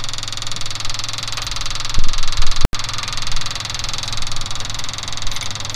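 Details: Ford F250 6.9 IDI diesel after injection pump replacement, injector lines only snugged loose for bleeding: loud, lumpy, uneven chug, some cylinders missing, others catching; air still in injector lines.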